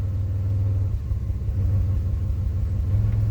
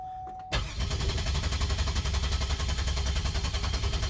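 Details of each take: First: 2005 Pontiac Grand Prix at idle: deep rumble with an uneven lope and recurring stumble, bucking and shaking in park and in gear; misfire counters show a single-cylinder misfire on cylinder 1, traced to a failed ignition coil. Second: 2005 Pontiac Grand Prix, 211,000 miles, misfire code with no cylinder identified, cranked in clear-flood mode without firing: steady, even cranking for about four seconds indicating good compression.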